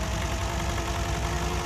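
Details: Toyota Yaris idle with shaking engine, coil on cylinder 4 pulled showing no RPM drop: low, lumpy idle with uneven shake, one cylinder not firing; misfire from a dead ignition coil, fixed by replacing the coil and all spark plugs.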